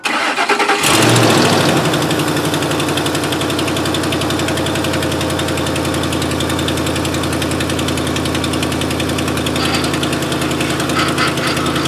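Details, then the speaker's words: 2005 Ford F-150 with tow-package finned cooler after replacing power steering return hose, fluid low before refill with Mercon V: engine idles with steady droning groan, pump straining on low fluid. "uh and as you can hear it wasn't happy so add a little bit more fluid actually took a lot of fluid"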